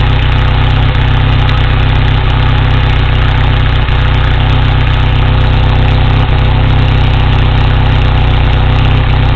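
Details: 1987 Toyota 4Runner with the 22RE engine: steady deep idle with an occasional sharp hiccup every couple of seconds. The uneven stumble suggests a misfire; cause suspected, not confirmed.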